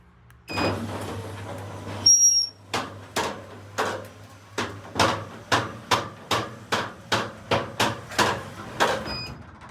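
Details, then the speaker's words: About 30-year-old roller door running with a low motor hum and a sharp metallic clunk about twice a second; curtain retainer snapped off from metal fatigue, piece missing inside the roll. "so as you just heard this door has quite a clunk going on inside of it so we just unrolled it and then straight away we see this piece missing here and if we have a look inside you'll find that the curtain retainer has snapped off just from metal fatigue"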